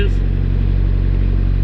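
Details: 1986 Suzuki Samurai with a 1.6 VW turbo diesel, cold start on a new larger battery after glow plugs: steady, even diesel clatter at low idle with no misses or knocks, settling in to warm. Normal cold idle.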